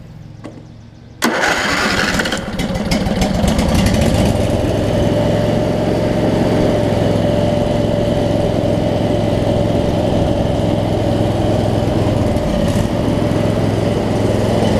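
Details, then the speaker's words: Craftsman DLT riding mower, 25 hp Briggs & Stratton V-twin, with the ignition fully grounded: steady rhythmic starter churning, about 3.5 turns per second, never firing because there is no spark. "No so I have grounded it out now so I've completely grounded out the ignition so now it should Crane"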